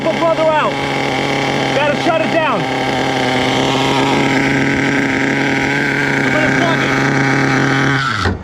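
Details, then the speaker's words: HPI Savage 1/8 nitro monster truck with a worn engine and two big scores on the sleeve: engine holds a high steady scream, truck driving forward on its own, then cuts out; throttle stuck open, shut down. "uh-oh we got wheel throttle issue it's going forward on its own I think I know what happened we got to shut it down weird issue we got a throttle glitch"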